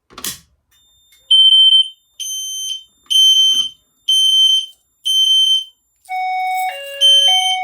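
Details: Notifier NFS2-640 fire alarm system test: after pulling a JCI JBG12LX pull station, System Sensor notification appliances sound sharp 3000 Hz bursts about half a second on, half off, repeating steadily, normal.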